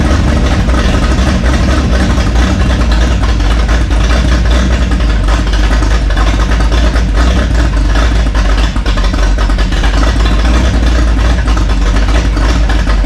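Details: Burned rat rod ("Doje'llac") with rebuilt carburetors, oil burning off the headers: engine fires and settles into a steady even low rumble with no knocks or misses; normal idle.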